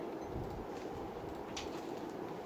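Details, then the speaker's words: Montgomery Ward (Evergo) Bananafan ceiling fan model E-8C 42274 on high: continuous gritty pebbly grind under the motor run, slightly slowing it; suspected dry bearings. "You can start to hear it now. Yep, and I'm feeling it, feeling all the pebbly sound. Look, it's a bunch of, like it's grinding against stones in there."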